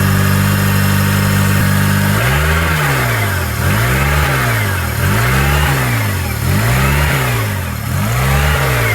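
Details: 2003 Honda with code P0507 (idle air control higher than expected), many loose or disconnected parts, vacuum leak suspected: steady idle, then speed swells and sags about every second and a half; hunting high idle.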